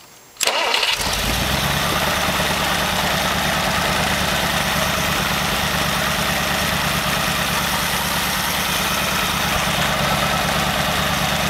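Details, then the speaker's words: Very old stock Studebaker 259 V8 with AFB carburetor and new Evans intake, third restart test: brief crank, instant catch, then a steady even idle with no misses or knocks; normal start and idle. "okay that looks like a winner to me and so that's the Evans first test"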